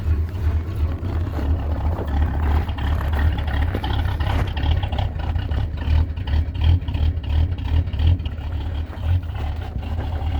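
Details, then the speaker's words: Classic Ford at about -30 degrees, just restarted after stalling once on a cold start: deep, steady low rumble at fast cold idle, even pulse, no knocks or misses; healthy engine warming up. "There we go. Well, she's running. And she sounds bitchin', doesn't she?"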